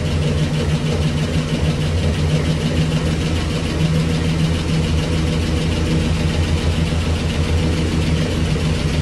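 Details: 1965 Cadillac Coupe DeVille V8 sitting 15 years, first start on hand-fed fuel, Flowmaster mufflers: deep, steady burble at idle, even low rumble, no knocks or ticks; sounds healthy, possible small exhaust leak suspected.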